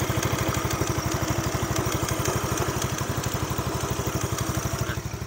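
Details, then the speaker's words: Used 2007 Yamaha Mio scooter: the CVT creaks and squeaks, and the engine idles with a choppy, slightly clattery beat of about three pulses a second that never smooths out. Rough idle. "Suara mesin pun ikut kasar. Jadi saya matiin aja ya."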